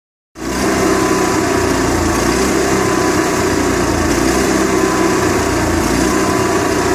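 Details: Onan MicroQuiet 4000 generator with clean carb, new air filter, constant fuel pump flow and near-new spark plug: engine runs with a lumpy, uneven beat instead of a smooth drone; rough idle, cause not found.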